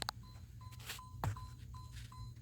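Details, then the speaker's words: 1979 Chevrolet Malibu wagon (G-body, big-cam 350), parked, battery keeps going dead: short high-pitched bong tones repeat roughly every half second over a quiet low hum; owner suspects this unexplained recurring chime is draining the battery. "And then what's probably running the battery down is this noise that I keep hearing."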